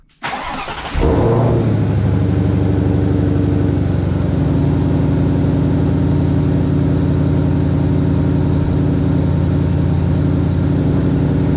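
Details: Supercharged Ford Mustang, first start after installing a JLT cold air intake (no tune): clean crank and quick catch, short flare, then steady even idle with no misses or odd noises; normal start.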